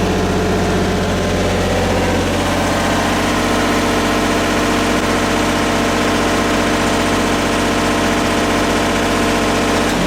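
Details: Miller 400D diesel engine-driven welder running in stick mode, which is needed for three-phase power: steady, even diesel drone with a smooth beat and no knocks or misses; healthy.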